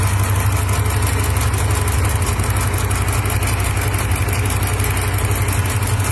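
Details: 37K-mile Hemi V8 idling: light tick on top and a dull, uneven bottom-end knock underneath, roughly three a second; cause suspected, not confirmed.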